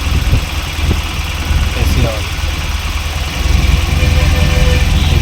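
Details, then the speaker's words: Tata Nano whose AC compressor would not engage, now running. With the AC switched on, the even idle firms up and rises slightly as the compressor loads, and the condenser fan runs. Normal. "Engine RPM बढ़ गया तुम चले गए हो। आवाज सुनने के लिए प्राप्त करना और यहाँ से ठंडी हवा देना शुरू करें हो गया।"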